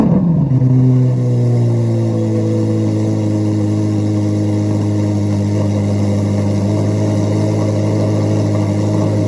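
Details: 2024 Chevrolet Corvette C8 Z06 cold start: quick rev flare settling into a steady smooth deep high idle with an even exhaust note; healthy cold start.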